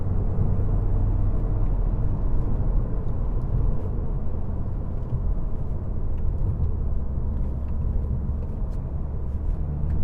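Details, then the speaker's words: 2013 BMW 520d diesel, about 240,000 km, under throttle: deep, even rumble pulling smoothly, no knocks or rattles; healthy engine. "我觉得这个声音是不会令人难受的，是还 OK， 不像那些罗里啊，不像那些 pickup trucks 这样子的，它是比较细的。你看我踩油的时候，听它声音。"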